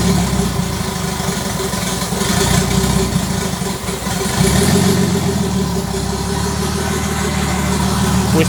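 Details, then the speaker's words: Start at about 30° on EMU ECU with wideband O2 and 10% ethanol fuel: idle wavers and hunts with uneven, lumpy beat; rough and rich from vacuum leaks, which need plugging, and throttle body needs opening more. "kept vacuum leaks which means that we need to plug them and also open up the throttle body a bit more we are rich"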